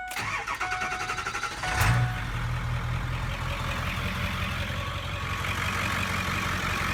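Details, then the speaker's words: Ford 7.3 Powerstroke diesel truck, start after repairing a serpentine belt tensioner that broke while driving and refitting the belt: brief starter whir, then it catches and settles into an even, steady idle with no squeal or slap; normal. "All right, got it all fixed in there now. Belt's on there. Crank it up, see how it goes."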